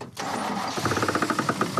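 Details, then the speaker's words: Olds Cutlass pulled from long sitting, belts cut off to rule out accessories: engine cranks and catches, then rapid regular knocking rides over the idle, pointing to crank/internal engine noise; suspected, not confirmed. "So, we cut the belts off and we're wasting more time hoping that something other that's rotating is making the noise. Probably not, but it's worth a shot. So, if it still makes noise, it's crank engine related."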